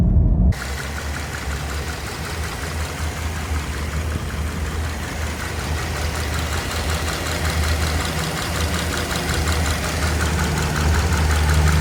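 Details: Subaru FB25 engine, knocking for about 20,000 km, cold and hot, also clearly heard with the selector in D or R: dull, regular knock two to three times a second under the idle; cause unclear.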